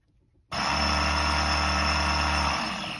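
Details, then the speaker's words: BMW E30 ABS pump activated via its relay with relay covers off: sudden steady motor hum and low buzz for about two seconds, then winding down; pump runs normally. "activate that one you can hear the pump running"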